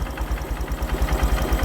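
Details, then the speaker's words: Used Honda Verza single checked before buying; low thump at idle around seven beats a second, rising and dipping slightly, idle a bit unstable, possibly due to air screw setting too low. "pastikan stasionernya putarannya ini stabil ini agak kurang stabil ya guys ini mungkin putaran mesinnya dikarenakan setelan anginnya yang kurang besar"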